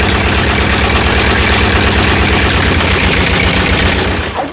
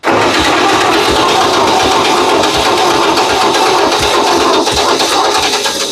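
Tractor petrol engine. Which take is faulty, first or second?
second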